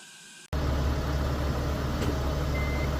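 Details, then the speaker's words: 2012 Kia Mohave with 277,000 km, driving after hub spacers were removed to cure an underbody tick when turning: a steady, low rumble with no ticks or clicks, still quiet the next day; fix successful. "이제 소리가 안납니다이 작업을 어제 했는데 오늘까지 소리가 나지 않는 것을 보니 성공인 것 같습니다"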